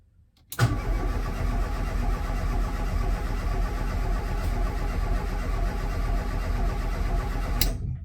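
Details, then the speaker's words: Escort RS Turbo not run since 1996, HT lead disconnected: even starter cranking for about seven seconds with no firing, turning over to build oil pressure before reconnecting ignition; fuel level very low. "well all that said go out but i think what we'll do is we'll uh connect the uh the hd lead and see if that makes a difference"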